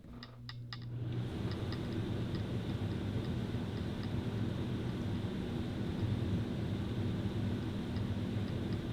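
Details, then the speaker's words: Rooftop RV air conditioner with the A/C silencer fitted: a few clicks at start, then a steady low hum of fan and airflow with no rattles, about 62–64 dB versus 67–68 without; normal operation. "So it doesn't show a ton dB difference, but you can literally hear it from the mic how much difference it makes."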